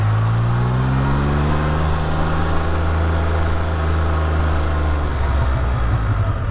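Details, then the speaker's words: Can-Am Spyder F3-T after repair, test ride: steady low engine drone with a faint gear whir from the pump-drive gears rising with speed, louder than on RT models, no knocks or rattles; normal. "Sure hear the motors more on a F3 than you do the RTs, especially all the gears driving those pumps and whatnot over there."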